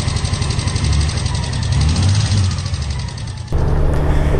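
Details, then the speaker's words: 2018 Honda Goldwing with only 2,300 miles: steady clicking about four a second from the right side of the engine over low exhaust rumble, later a catastrophic engine failure with a severely damaged right-side spark plug. "the audio you can hear a pretty noticeable clicking sound on the right side of his engine"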